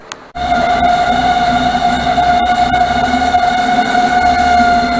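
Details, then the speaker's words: 1978 MGB after carburetor replacement and points delete. The cooling fan kicks on with a loud steady whir and a sharp, constant high hum, sounding noisy and rough. It later went quiet; the owner suspects a bad distributor is behind the rough running. "That fan don't sound good, but it's straightened up."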